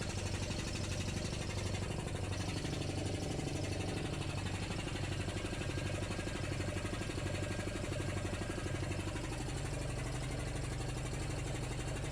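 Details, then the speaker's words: Homebuilt belt-driven compressor with an aftercooler and water trap: heavy, even pump thumping at about ninety strokes per minute, with no slapping or squeal. Normal running; belt not slipping, pulley at 45°C. "there we go you can hear that not very loud at all"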